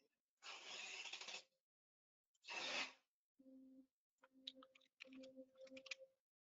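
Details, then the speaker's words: Hydraulic cylinder position tuning with Delta RMCTools, proportional gain raised past about 250, moves at 30 in/s: hissing flow bursts then pulsing low buzzing hum; oscillation from excessive proportional gain, back off about 30% to around 300. "Oh, yeah, there, that was too much. Anybody hear that? Yeah, so generally once you start hitting oscillation, you want to back way off that."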